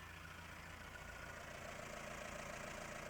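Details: Mahindra Roxor turbo diesel, idling after a Dirt Legal intake retaining bracket was fitted to stop boost leaks: an even clatter of about 214 beats a minute with no hiss or chuff from the intake side. No leaks were found; normal idle.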